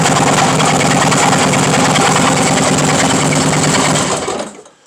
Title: Harley engine knocking